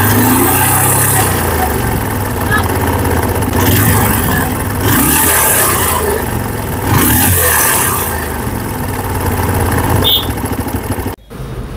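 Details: TVS Apache RTR 150, engine serviced three times in two months but noise remains: rough, rattly mechanical drone through the revs with deep internal rumble; worn engine bearings.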